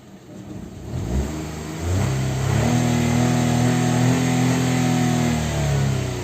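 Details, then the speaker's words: Fire-damaged Peugeot 108, 3-cylinder 1.2 petrol engine, 85,000 miles: engine pitch climbs smoothly through the rev with no knocks or rattles; runs very smooth, normal revving. "It's 3-cylinder 1.2 petrol engine."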